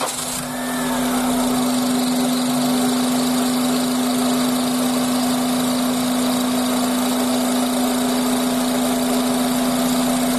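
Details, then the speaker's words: Honda Accord engine at idle: steady high squeal, louder with the AC on and gone with slight throttle; serpentine belt slipping from insufficient tension, aged belt or weak automatic tensioner. "刚才我们可以听到是这个叽叽叽叽叽这样的声音，这个就是皮带声音。"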